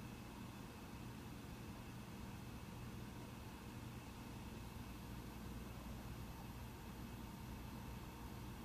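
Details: Mac Pro 1,1/2,1 with 32GB RAM running a benchmark: soft, even whoosh with faint steady tone, no rattle or rising whine, fans ramping only slightly late; normal healthy fan noise under load.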